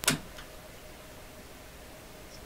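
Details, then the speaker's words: Canadian General Electric KL-96 AM/shortwave tube radio, first power-up before repairs: one sharp crack at switch-on, then only a low, quiet hum; a vacuum tube arced over internally and is now dead. "see that oh wasn't that exciting so that tube's a dud now"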